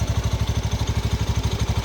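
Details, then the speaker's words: 2019 Honda Beat FI scooter at idle: a steady thump of about eight pulses a second with a light jingle underneath from the CVT area, from a loose damper ring on the CVT clutch carrier; acceleration and ride stability are unaffected. "Cuma masalahnya ada di bagian noise atau suara gemerincing. Nah, seperti ini."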